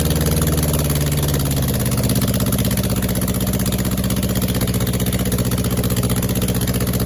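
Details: Freshly rebuilt 2270 engine (heads, align bore, rods, balancing) after an oiling problem took out a main bearing, idling on a test setup: steady, even low thumping with a regular beat, no knocks or rattles; healthy.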